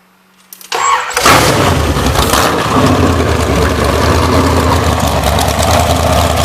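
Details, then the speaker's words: Blueprint-rebuilt 427 big-block Chevy, originally from a 1969 Corvette, COMP Cams XR276HR hydraulic roller cam, 10.0:1 compression, Edelbrock Performer Air Gap intake, bound for a 1972 Chevelle SS, mufflers off: fires quickly, loud steady even lope, no knocks or misses; healthy idle. "so just a short video i'm going to start it up i'll let you hear how nice it runs i took the mufflers off today so you can get the full full song"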